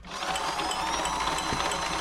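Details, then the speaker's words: Frister & Rossmann 904 sewing machine in for a service: a light, regular tick about three times a second over a smooth whirr. A bent needle was suspected; the tapping was then put down to lack of lubrication. "little Ticky noise there you can probably hear it's probably a bent needle need to prove that"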